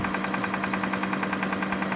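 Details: 2005 Kia Sorento engine at idle: sharp, fast, evenly spaced knocking about eleven per second over a steady idle hum; the source of the knock is not yet diagnosed.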